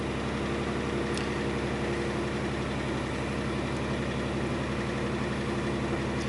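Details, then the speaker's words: 2000 Chrysler 300M held in gear on the brake under light load: drones with an uneven, stumbling beat and the car shakes; knocking also noted; a misfire under load. "Let's put it in gear. I'm just going to hold it on the brake, put it under load a little bit, see what it does. There's definitely a misfire. Yep. You can feel it, the car's shaking. Definitely feel it."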